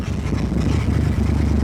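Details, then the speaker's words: Lowered Ford Galaxie V8 being driven after idling fine and after voltmeter checks: deep rumble under load with an uneven, stumbling beat instead of a smooth drone; a misfire under load that driving does not clear. "Sometimes that works. Uh it's not working at all with this car. This car just wants to die."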